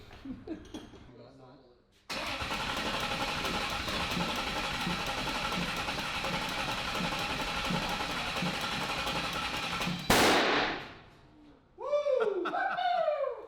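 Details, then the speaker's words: Ford Coyote V8 swapped into a Fox-body, first start attempts: starter spins it about eight seconds with an uneven chugging beat, kicking a little but never catching; getting spark and fuel, crew suspects a timing issue, unconfirmed. "I mean, it's getting spark, it's getting fuel. It's just gotta be a timing Just thing."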